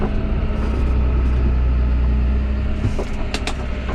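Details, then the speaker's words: John Deere 6210R tractor after transmission calibration, shuttling from forward to reverse: a low rumble that settles with no clunk or flare. The shift was rough before calibration and the forward side slipped; it now engages smoothly. "Earlier between forward and reverse, it was not very smooth. Whereas now it is."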